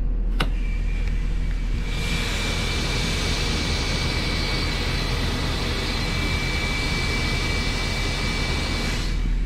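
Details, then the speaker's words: Thor Palazzo motorhome with Cummins 6.7 ISB diesel idling while air bags are dumped: loud continuous rushing hiss of air venting for several seconds as the coach lowers; normal air suspension dump. "pretty much just like a tractor trailer with um air ride suspension leveling suspension i just dumped the air out of the air bags and we just lowered down to the ground"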